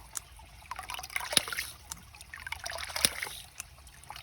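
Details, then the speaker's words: Hydraulic ram pump restarted at 6 a.m. after shutting off; drive line irregularly gurgling and spitting air with no steady pumping beat yet, before the ram catches and runs; air in drive line. "until it's still spitting air you can hear it there we go"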